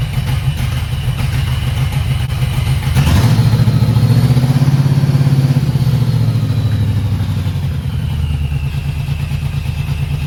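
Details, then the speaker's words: 1991 Mustang 5.0 LX with new Vortech V1 and F-303 cam: lumpy, choppy idle and blip; V8 misfiring and running on about five cylinders. "this technically that is not how it's supposed to"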